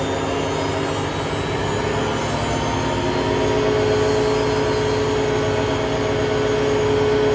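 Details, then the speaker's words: Hotpoint Aquarius WMA32 washing machine test spin: loud steady roar with droning hum at high spin; owner suspects broken drum bearings or a broken spider. "viously when this gets into spin it will get quite loud"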